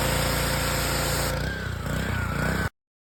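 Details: Gas power washer, after replacing the six water seal washers, some of them gummed up, between the brass fitting and the pump housing to cure a pump leak: small petrol engine catches, runs steady and even at a fast, level beat, then shuts off cleanly; normal running.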